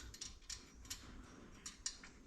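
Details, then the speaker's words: Motorcycle wheel build, spokes still loose with about 2 mm runout: light irregular metallic ticks as wheel turns, the hub distance piece moving because bearings aren't yet compressed by spoke tension. "That little rattling noise you can hear is the distance piece in the actual hub just moving around because there's no real tension on the on on the bearings like compressing it yet."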